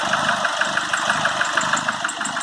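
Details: Nissan Frontier 2.5 diesel at steady idle: sharp, even knock about six or seven times a second; attributed to a burnt cylinder head gasket.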